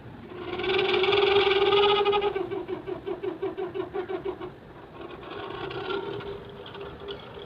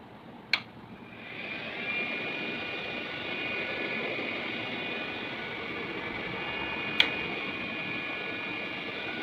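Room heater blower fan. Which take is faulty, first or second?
first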